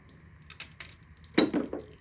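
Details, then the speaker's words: 2005 Ford Excursion 6.0 Powerstroke diesel on a stand during teardown, pans removed, engine rotated slowly by hand: light metallic clinks and a tumbling rattle from a loose object that fell inside. "So I'm going to rotate this engine real quick and see if I hear that rattle, so we can figure out what the heck that is."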